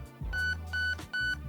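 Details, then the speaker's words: Nebula II MOSFET in a Lancer Tactical Gen4 / Zion Arms R15 MK II AEG, programming mode: three short, evenly spaced high beeps over a faint motor hum. Confirms trigger sensitivity set to 60%. "you get three beeps that's going to be 60% trigger sensitivity which at that point is going to be a little bit over halfway of your total trigger travel before you're able to shoot"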